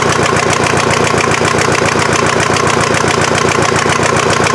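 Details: Mazda off-roader with a swapped VW diesel, finally fired up after a hard start with some smoke (owner wonders about the head gasket) and the injection pump still needing tweaking: settles into a steady, even clatter of three to four beats a second with no misses.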